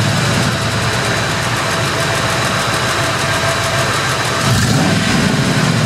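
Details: 2001 Ford F-150 5.4 V8 idling with a light, quick clicking over the engine hum, about three ticks a second; heard at every start and when accelerating, began about two months ago. Engine ticking at idle.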